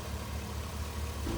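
Low, even idle rumble with a steady beat and no knock, squeal or rattle: engine running healthy.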